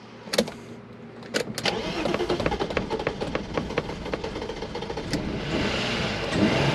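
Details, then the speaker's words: BMW E36 after crank-no-start troubleshooting, car sat long, oil and water dumped in, intake boot refitted: uneven cranking, catches briefly with ragged revs then dies; smoky exhaust, owner suspects stuck piston rings. "well it started and i got it to run there for a little while but as soon as i let it shut off it uh it died off again"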